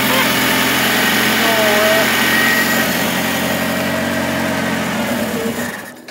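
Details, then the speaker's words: 1978 Mitsubishi Colt Sapporo parked since 1993, first start after about 30 years, stone cold, on choke, no air filters, fed from a small can of fuel: even, steady, smooth idle with no misses or knocks, dying cleanly at switch-off. "wow oh my gosh wow listen to that as well oh my gosh that's so smooth"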